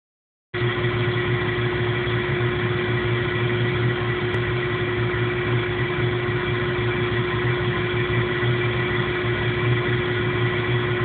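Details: 1997 Jeep Cherokee petrol engine idling rough with an uneven, shaky low rumble and steady hum; no codes or check engine light, cause unknown.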